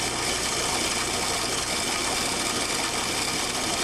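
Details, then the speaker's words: Water flowing through a test control valve with inlet pressure raised to 200 psig and back pressure removed, about 108 dBA: steady loud hissing rush with no crackle, flow stays a vapor-liquid mixture through the test section: flashing. "again if i remove the back pressure the grid remains a mixture of vapor and liquid through the test section"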